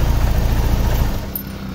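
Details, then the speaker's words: Honda Click scooter after tune-up and intake/exhaust valve clearance adjustment, running with belt removed; steady even idle putter, no knocks, rattles or valve noise, pump working, then eases down. Normal idle. "Wala na siyang ingay. Good din yung pump, gumagana din yung pump. Ayan yung mga tono ng pump nya."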